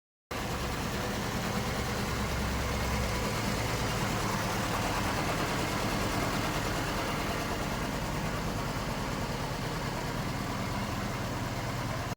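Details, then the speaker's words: Honda Civic FD, R18A engine, after rebuild and several sensors replaced, engine light on: idle has uneven, lumpy loping beat, engine shaking badly; cause to be diagnosed with scan tool. "ตอนนี้เครื่องสั่นเป็นเจ้าเข้าเลยนะครับเดี๋ยวเราจะวิเคราะห์ดูว่าสาเหตุเกิดจากอะไรนะครับ"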